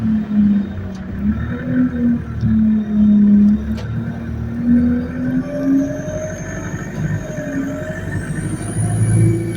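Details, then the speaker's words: ADL Enviro200 bus YX13AFY on route B16, with high idle rpm: a thin whistle climbs in pitch over the diesel drone as the bus accelerates under load. A turbo screech is suspected, not confirmed. "Bro, what is that whining noise, fam?"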